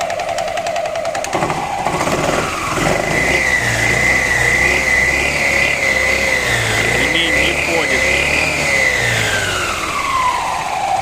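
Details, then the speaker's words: Scooter after a snapped drive belt was replaced: engine revs up and falls back to idle with a faint, unexplained knock from the rear variator area; belt doesn't move when throttled; owner suspects the fault also broke the belt. "В общем ремень заменил но какой-то стук непонятный такой идёт вот в задней части"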